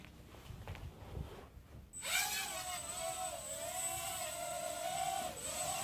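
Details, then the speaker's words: Fayee FY530 quadcopter flown indoors after removing its prop guards and landing gear: a high motor whine whose pitch keeps surging and dipping as it wobbles in hover; the cause is unclear. "don't know if you guys can see or hear that, but it's wobbling. It wobbles when you take the landing gear and stuff off of it."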